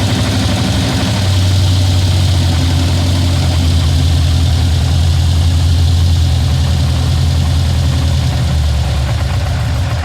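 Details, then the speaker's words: Ford F-150 with 351 bored 30 over, Pro Max aluminum heads, carb, long tubes, Proform roller rockers: loud deep V8 idle with fast uneven diesel-like clatter from the top end, heard all around the truck; rockers blamed, unconfirmed. "but uh these things are very noisy this 351 sounds like a 73d sword idol and i cannot stand it you can walk around the whole truck and you hear the rockers"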